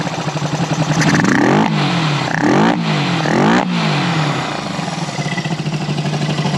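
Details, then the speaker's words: 1974 Honda CB360 twin after carb work: steady, even idle with three crisp throttle blips that rise and settle cleanly. It previously would jump and then go up; now much better. "that's much better than it was before when I was looking in there it would be like it would jump and then go up jump and then go up"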